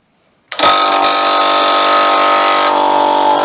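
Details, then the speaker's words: Small free air compressor after cleaning and reassembly: loud, fast clatter starts abruptly and runs steadily, but it's not building much pressure, only about 30 psi, and air blows out at the side. "oh it's not building much pressure is it not stopped it stopped pumping again now i can feel it blowing at the side oh no it's coming out of there"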